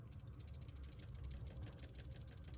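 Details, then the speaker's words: Refrigerator compressor overload protector, removed and shaken by hand after the fridge lost power, gives a light quick rattle of tiny clicks over handling rumble; rattling suggests the unit is bad, suspected rather than confirmed. "here's slight rattle so according to the YouTube videos if you hear that rattling noise that unit is bad so so that's a problem"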